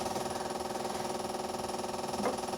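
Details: Classic Mini's cast-iron petrol engine idling after fitting an eBay temperature controller and topping off the radiator: quick, even pulsing at a steady rate with no knocks or stumbles, normal idle.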